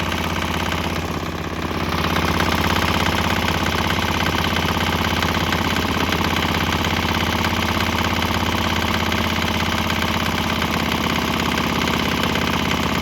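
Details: Swan X 165F Chinese single-cylinder diesel, crate-mounted, on used canola fryer oil: steady strong thump around 200 beats a minute, no knocks or misses; slight tempo and exhaust change, possibly during canola transition; normal running.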